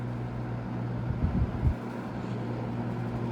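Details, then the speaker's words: GE W22 fan after service, running on low: a steady hum with a buzzy grill rattle that stops when a hand is pressed on top. The rattle is the guard grill, not the motor, and may need grommets. "So, the buzzing you're hearing right now is grill rattle. If I put my hand on top, it stops."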